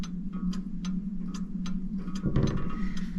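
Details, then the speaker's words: French Crystal Regulator clock, checked working before disassembly for shipment: even, light ticks a little under two per second over a low hum, movement running normally. The gong, whose wire is slightly rusty, had just struck at 10:30. Normal ticking. "Okay, so this is what you can hear it ticking."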